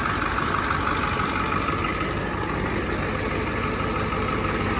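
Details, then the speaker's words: 1986 Ford F350 dually, 7.3 IDI diesel with ATS turbo kit. Even clatter at about two beats a second, no misses or wobble; healthy smooth idle, slight blow-by noted. "Man, that thing runs smooth. That thing ain't even wobbling or nothing. Look at that thing. Purring like a kid."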